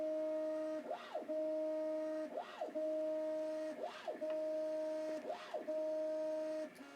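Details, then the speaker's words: Prusa MK2S upgraded to MK2.5S, first-boot self-test after the build: steady stepper tone with four rising-and-falling sweeps about every second and a half as the bed reverses; Y axis endstop check passes cleanly, Z next. "Y is good. And now we'll check Z."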